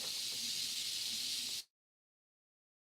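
Constant high, airy hiss with nothing underneath, cutting out to dead silence briefly, then returning; noisy earbud mic pickup. Cause suspected, not confirmed.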